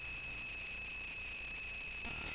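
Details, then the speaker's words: Touch Board, plugged in, audio output: constant piercing high-pitched whine with faint low buzz underneath; noise gets worse during playback; cause unconfirmed. "hear the noise great that's a lovely noise I'm not quite sure why the noise"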